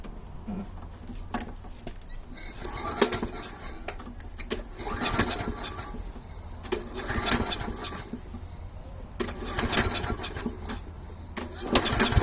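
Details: Small engine started after carb leak fix with gasket and air filter housing refitted: catches and runs with a rapid even putter, some rev swings, no misses or knocks, no fuel leaking; normal running.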